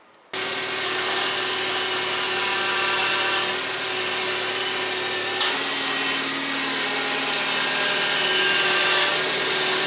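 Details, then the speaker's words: VW Passat 35i running: a steady high whine from the worn power steering pump, heard whenever the wheel is turned as the pump comes under pressure, before the pump is replaced. "Das Geräusch kommt eindeutig von der Servopumpe, weil nämlich genau die kommt unter Leistung, unter Druck, wenn man lenkt."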